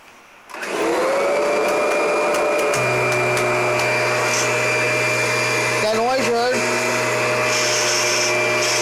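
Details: Kirby vacuum, Generation 4 (1995) or G10 Sentria (2011): steady motor whine with a low constant hum joining after a few seconds from the Tech Drive self-propelled transmission.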